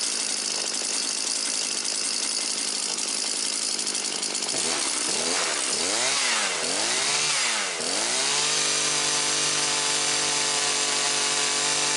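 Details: Husqvarna 325P4 non-telescoping pole pruner after repair (chafed plug lead taped and sleeved, fuel lines, filter and purge bulb replaced): small two-stroke buzzing at a high steady pitch with throttle blips, settling into an even run without misfiring.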